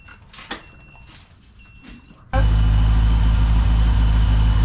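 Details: Supercharged Pontiac GTO on first start with newly installed tuned ECU, after fuel-system start troubles; light clicks, then it catches into a deep, loud, steady rumble with no knocks or misses, gurgle on come-down; normal, healthy revving.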